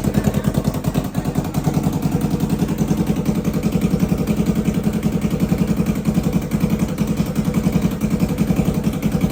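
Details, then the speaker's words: Kawasaki Ninja 300 idling after an oil change with no exhaust fitted: loud, raw, rapid popping at a steady idle, harsh and unmuffled from the straight open headers. "Exhaust ഇല്ല. Start ചെയ്താൽ ഒച്ച എന്താണെന്ന് ഇപ്പോൾ കേൾക്കാം."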